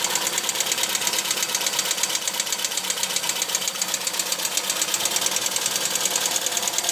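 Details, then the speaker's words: Opel Kadett B OHV 1.2S tuned engine, high compression, sharp camshaft, large valves, original carburetor refitted replacing Weber: fast light metallic ticking over low idle; owner suspects valves though clearance set 0.2 mm intake and exhaust; cause unknown. "jedenfalls jetzt di das Tickern das man hört dürften die Ventile sein aber warum jetzt ist das Spiel nor mal bei 0,2 und 0,2 mm respektive Einlass und Auslass gleich auf 02"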